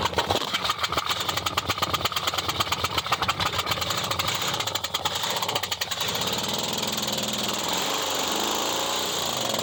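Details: 1964 Dodge Polara with 318 poly V8, no radiator fitted and a known fuel leak, cranks fast for several seconds, then catches and settles into a steady, even run; it starts and runs fine.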